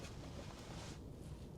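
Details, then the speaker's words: Hymer campervan Truma diesel boiler after repair, with error codes and lockout cleared by an engineer: the boiler clicks to ignite and the fan gives a soft, steady rush of air with no rattle or surging. Normal heater fan running. "I can hear the boiler clicking to ignite, I can hear the fan going, and in a moment we'll check the vents."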